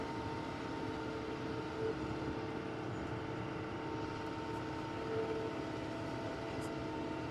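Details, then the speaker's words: Bush Hog 286 rotary cutter after slipper clutch rebuild, tractor PTO at 540 rpm, in gear cutting grass: steady, even drone at working speed with no knocking, squealing or surging; cutting normally. "Put it in gear. See what we got. And I'm close to the fence. I got to kind of watch what I'm doing here. Well, it's cutting right now."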